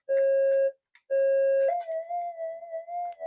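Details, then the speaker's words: Minelab GPX metal detector on the workbench with a lithium pack charging nearby and a TV possibly on: two clean beeps, then a wavering, unsteady threshold tone that never settles, very noisy, likely from nearby interference. "it's as noisy as all hell"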